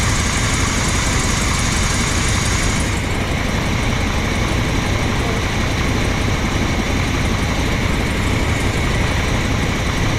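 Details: Old rig, after a plugged filter was found and a mouse nest was cleared from the intake: loud steady even idle with no misses or knocks; normal idle.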